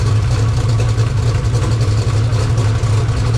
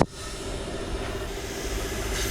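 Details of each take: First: 2000 HP Mod Motor V8 race engine, started to warm to about 140 degrees: deep, steady rumble with even firing, no knocks, ticks or misses; normal idle. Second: 2000 HP modular race engine under exhaust pressure test: steady airy hiss over a low hum from a pinhole in the header at the cylinder 7 EGT spot; a big leak, header must come off for repair.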